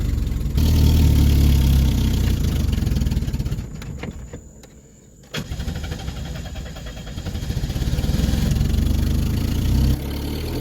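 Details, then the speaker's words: Woodgas-fueled Chevrolet Cavalier after fixing PVC piping leaks between filter and engine, warming up on wood gas: low steady rumble settles into an even idle, sags briefly then recovers; normal idle. "okay you can hear it's running i'm letting it warm up a little bit"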